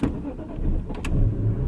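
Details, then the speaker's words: 2002 BMW M3 E46 straight six, about 100,000 km, warm: catches and fires, sags briefly just after catching, then picks up to idle; hesitant start, owner unsure whether it is nothing, slightly dirty spark plugs, or the engine map. "which might be nothing. It might be the spark plugs a little bit dirty. It might be something in, I don't know, in the map."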